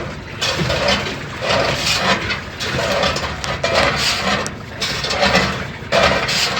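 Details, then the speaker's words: General Electric washer whose tub sagged after the machine was lifted with a dolly, with more rubbing under heavier loads. A rasping scrape comes with each agitation stroke, about every two seconds, over sloshing water; the tub is rubbing the cabinet. "lo que pasa que la tina se va hasta abajo entonces la voy a poner la tapa están bien escucha la sra de esta manera estar pegando la cuerda"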